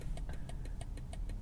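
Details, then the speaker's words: 2021 BMW X5 45e plug-in hybrid towing a light trailer: quick sharp turn-signal ticks about three per second over a low hum, sometimes skipping into triple clicks; hyperflash from a light fault, a failed trailer light. "Obviously, it's blinking fast to let me know my light's out, but sometimes it skips and it like triple clicks."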